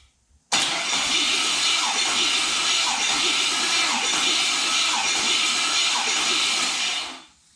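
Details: Chevrolet LS (LM4) engine cranking during a compression test, intake manifold off, on a stronger battery after slow cranking: steady, even churn for about seven seconds with no catches; normal cranking, about 120 psi.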